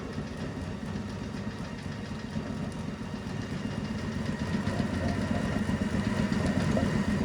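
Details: Circa-1932 Bennett Model 450 twin clock-face gas pump, a California barn find idle over 40 years, both pumps switched on (belts shredding): steady low motor hum with an even beat of about four per second, no grinding; sounds healthy, runs again.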